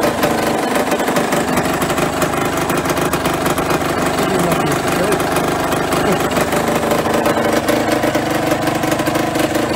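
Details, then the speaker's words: Yamaha RD125LC two-stroke, just kick-started after standing 17 years, fed petrol through a makeshift funnel and pipe: busy, raspy note running steadily with no cutting out or knocking; runs fine. "oh I forgot to the car bro can't believe it runs okay super her"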